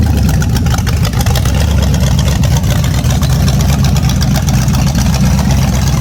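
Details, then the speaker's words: A naturally aspirated 010 350 Chev small-block V8, carbureted, on an engine stand for an HQ sedan rebuild. A deep, even rumble builds cleanly through the revs with no knocks or misses; healthy revving. "I'm pretty happy with that. That sounds pretty tough to me for a naturally aspirated 350 engine."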